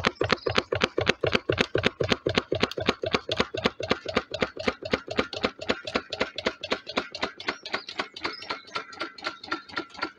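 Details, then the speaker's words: Wood-fired DIY Stirling engine generator Mk4 on a rocket stove, running very slowly after three quarters of an hour as the fire runs out, in a quiet room: sharp clonk about twice a second, once per revolution, from a bolt left loose on one side. "one point I like to make is there's a loud clonking noise coming from um from this side I'm coming to find out I left the bolt loose so that's what that noise was"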